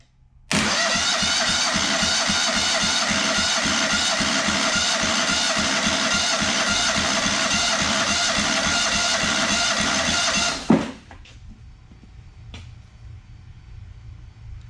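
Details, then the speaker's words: Freshly rebuilt Kohler CH20 Command 20hp in a Walker GHS mower, compression test on first cylinder: slow, even cranking beats, three or four a second, no weak strokes; reads almost 120 psi, well over 100, expected to rise after break-in. "about 15 lbs honestly that's not bad almost 120 not sure what the spec is long as I was a good amount over 100 I was happy"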